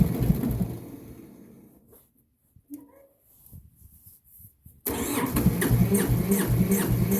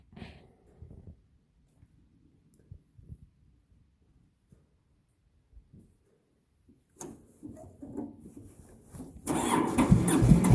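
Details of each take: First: Massey Ferguson 205-4 diesel on a cold, damp day: after a pause the starter turns the engine over in steady, even chugs and it never fires; the kill-switch fuel shut-off knob was left pushed in. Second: Massey Ferguson 205-4 diesel on a cold, damp day: several seconds of faint cranking, then it catches and settles into a loud, low, steady run; healthy start.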